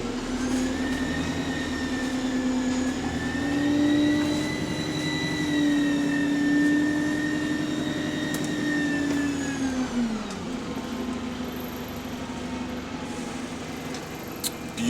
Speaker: This is the first ever, yeah, MMC to get that squealing that the Euro 5 V200s had.